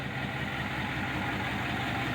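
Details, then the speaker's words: Freshly rebuilt 6.4 Powerstroke diesel with about 60 miles on the new engine (truck at 117,000 miles, third engine), over 10,000 lb truck at 6400 ft elevation. Smooth, quiet idle with barely audible diesel rattle and a soft turbo whistle; healthy. "has almost imperceptible diesel that typical diesel rattle you barely even hear it a little exhaust clip here that turbo whistling nice and soft"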